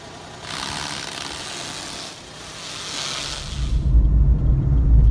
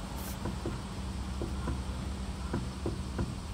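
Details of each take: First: Suzuki Alto after replacing a play-worn steering rack with a rebuilt unit, tie-rod ends and toe alignment, test drive: smooth road rumble over bumps and manholes with no knocks or clunks, quiet when steering left and right; clunk fixed. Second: Suzuki Alto clunking over bumps and manholes: rocking the wheel side to side on a lift gives dull clunks. There is no play at the outer tie rod end but play at the inner rack-side joint; the steering rack is to be replaced with a rebuilt unit.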